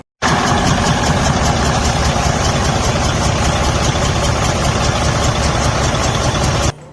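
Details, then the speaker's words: DD15 diesel truck engine with compression leak and low power: a loud, rough clatter with an irregular beat over heavy low rumble. Such a sound indicates a broken cylinder head or a stuck-open head valve, whereas a quieter sound could be just valve adjustment. "means that you have a serious problem with a broken cylinder head or a stick open cylinder head valve."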